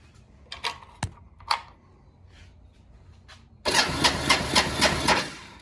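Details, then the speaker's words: 1986 Kawasaki Bayou 300 ATV after a new one-way starter clutch bearing was fitted (the old one had failed): the starter engages cleanly and the engine turns over with even compression pulses. The earlier clicking is gone; normal cranking. "I think we got it. It doesn't make the clicking sound anymore. And we got compression coming out of the pipe."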